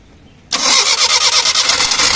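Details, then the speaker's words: Suzuki Mehran/Maruti 800 (800cc) that had died on the road, started with the starter from inside via the key: silence, then the engine catches at once and runs with a busy, slightly pulsing rev; starts normally. "देखिए अभी ये गाड़ी स्टार्ट होगी।"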